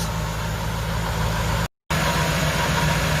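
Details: Nissan D22 Navara with VK45 V8 idling after final repair, sensor mount drilled and bushed so the sensor cannot move: even, steady low burble with no stumble or surge; normal idle.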